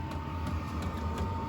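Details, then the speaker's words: Vevor diesel heater for a chicken coop and greenhouse at start-up: steady fan hum with a light regular fuel-pump click about three times a second, audible from the house; normal start-up. "But I can hear this clicking from the house and I know it's running so I don't have to come out here."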